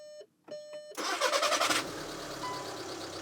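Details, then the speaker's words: VW Passat TDI with a replacement used engine fitted with the donor engine's oil pump and balance shaft, fuel primed via VCDS, first start: a chime, under a second of cranking, then it fires into an even diesel idle with no clanking; normal start. "all right not bad not bad sounds good all right nothing's clanking around that's a good sign"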